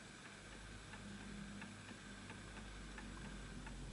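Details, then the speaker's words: Antique Enfield Westminster-chime mantle clock with pendulum off centre, adjusted via the two arms: faint ticking about three a second with unevenly spaced tick and tock; out of beat, needs nudging, later stops. "So I'm hoping you can hear that. I can tell that that's misaligned because it's still going. So it has to go in perfect rhythm."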